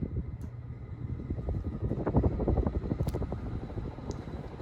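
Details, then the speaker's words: c.1985 Casablanca Delta II 5-speed ceiling fan on medium-high: low rumbling whoosh with a rough, uneven rattle from worn, bad bearings. "so here's medium high as you can hear the bearings are really starting to get get get busy now being loud"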